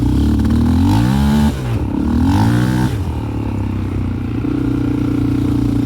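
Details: 2001 Yamaha Raptor 660 with Hotcams stage 2 cams, new carbs (same fault with old), parking brake, reverse, clutch and neutral switches bypassed, cam timing not quite perfect: stumbles with uneven beats at low rpm, then smooths and pulls hard as revs climb; low-rpm misfire, cause unknown.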